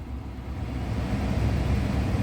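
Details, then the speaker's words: 2013 Dodge Charger R/T after replacing the blower motor and blower motor resistor (it previously blew only on high), heater on speeds one and two: steady, even low rush of air with no ticking or squeal; blower working normally. "As you can see, it's on one and the heater is blowing. I'm just going to let you hear it. That's two."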